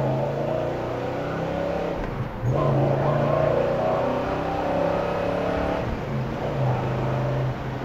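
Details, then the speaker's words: 1970 Chevrolet Chevelle with a 454 V8, accelerating hard from a traffic light through the gears: strong pull rising in pitch, brief dips at each shift, then clean pulling again; healthy engine and smooth shifting, normal acceleration. "nice pickup on the motor nice shifting through the gears car runs fantastic strong running car"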